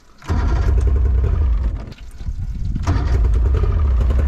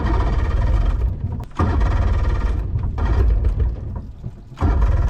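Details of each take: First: Two-stroke carbureted boat outboard on flush hose after corroded ring terminals were replaced, primed and choked: cranks, catches after a brief stumble, then settles into a steady low burble; starts and runs normally. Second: Two-stroke carbureted boat outboard on flush hose after replacing corroded ring terminals, bulb primed and choke engaged: repeated few-second cranking bursts without catching; hard starting before it finally ran.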